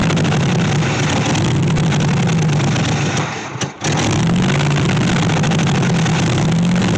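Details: 1964 Chevy Impala SS Convertible V8, long-sitting project, idling with a deep uneven burble whose pitch wanders instead of holding steady; rough running because ignition timing is still all over the place.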